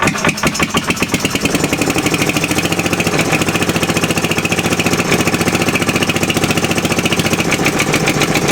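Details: Fairbanks Morse Model Z Style D stationary engine running after the head was pulled for inspection, showing a machined cylinder, hardened valve seats and lapped valves; a fast, regular firing beat that settles after starting and stays even, running clean and healthy.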